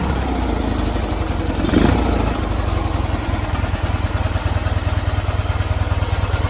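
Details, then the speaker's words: 1973 Ural M66 motorcycle, 6-volt contact-points ignition, 948 km: soft even low putter about three beats a second, only intake hiss and exhaust, generator and gearbox silent; twin pipes keep it quiet; normal healthy idle. "вот он звучок в принципе не слышно ничего кроме звука сосо воздуха и выхлопа абсолютная тишина"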